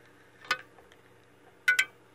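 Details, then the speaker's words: Antique GE oscillating fan (78X191, model X56867), pre-repair, running on high at 93 volts: sharp irregular knocks over faint motor hum as the armature slides back and forth through its bearings and bangs the back of the oscillation gearbox. "what I did know is obviously the armature rocking back and forth as you can see it there moving in and out and so when it moves in and out it's hitting in the back here"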